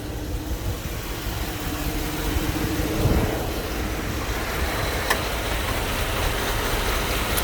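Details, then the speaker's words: 2008 GMC Yukon 5.3 V8 before repair: misfire codes on cylinders 4, 6, 8, flashing check engine light, limited to 20-30 km/h; wire-bypassed injector fuse had burned; rough uneven idle with irregular low stumble and dropped beats. "el cliente no llamó que comenzó a cascabeles ar su motor entonces tiene un fallo total puede ser que tiene el me fire"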